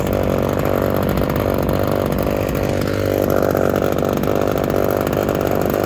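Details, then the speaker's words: Small two-stroke chainsaw, just out of a couple of weeks in winter storage, started after priming and choking. Even, strong buzz at steady speed with no stumbling or surging; normal running. "You guys got to hear it fire up and do its thing."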